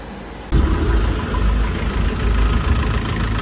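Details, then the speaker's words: Isuzu Panther diesel just reinstalled after an engine overhaul with the cylinder head skimmed. A compression leak at the No.1 injector nozzle was fixed by replacing its copper washer/gasket. Now a steady, even low idle clatter with no misses; sounds healthy. "ini jadi mesinnya udah hidup. Ee sebetulnya hidupnya sih dari semalam ya,"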